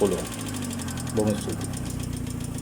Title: Engine Rod Knock #knock